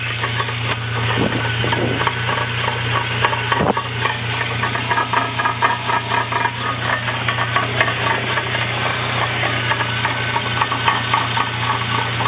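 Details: Transmission with the axles spinning: a steady low drone with loose, irregular rattling and clatter. The cause of the weird transmission noise is unknown.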